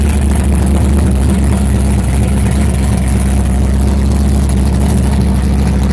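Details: Steady low engine drone with a slightly uneven, stumbling beat underneath; a stubborn, persistent misfire, cause not yet tracked down.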